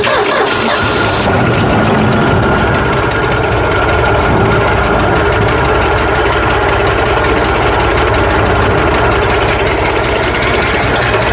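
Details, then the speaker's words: 1965 Ford F100 240 six-cylinder with newly replaced carburetor, early start-up; after a short start it holds a steady but lumpy, uneven rough idle; carburetor needs adjusting to smooth it out, cause unconfirmed. "it does run she rough though well we you have to play with it get it not rough"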